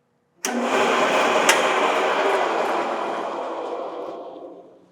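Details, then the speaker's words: 25-year-old milling machine motor slams on with a harsh rush, then fades over about four seconds as power drops; lights dim, sparks seen at the motor, and it trips a 20 A breaker. Owner suspects the motor is unhappy; it sounds fine with tension off. "I cannot overstate how much the lights dim in here when I turn this on [Music] but that was it on the motor I saw Sparks that's tripping a 20 amp breaker I'm probably thinking that motor's not happy"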